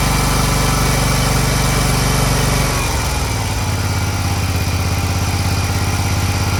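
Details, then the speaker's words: Scag Tiger Cub 48" commercial zero-turn mower engine after the start/stall repair, with much oil in the air intake and possibly replaced: a strong, steady low thump that settles to an even, clean idle after a speed change. Runs crisp and clean, normal running. "you could just tell that this engine is running so crisp and clean it's a really nice engine"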